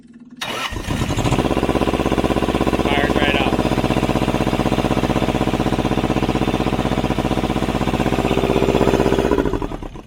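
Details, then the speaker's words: Thermo King TriPac APU diesel that wouldn't start after filter change, fixed by bleeding air at the injectors: fuel pump runs only briefly, then catches within a second into an even, steady chug about four beats a second; normal start and idle. "but you'll hear around it fire up and just goes it goes and fires the fuel pump does not run very long"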